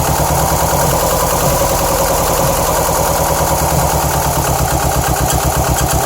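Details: 2007 Subaru STI with misfire codes on cylinders 1 and 3, bogging under acceleration, loud lifter knock at low rpm, noisy belts: loud, lumpy idle with uneven chuffing and clatter; rough idle with misfire.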